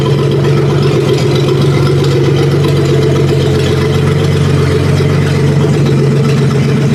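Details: 1956 Dodge 230 flathead six on an engine stand: slow, even low rumble at about 550 rpm with a steady beat and no knocks, ticks or skips; healthy idle with good oil pressure.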